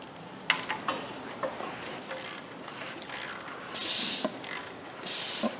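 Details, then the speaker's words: Dodge 4.7 V8 during rebuild, after setting valve timing, engine turned slowly by hand: short strong airy hisses as each cylinder comes up, compression building normally in all eight cylinders. "that sounds good all right so doing that it tells us a lot we can verify that we actually have compression building and each cylinder we just don't know how much but we do have a nice strong hiss coming out and all eight cylinders"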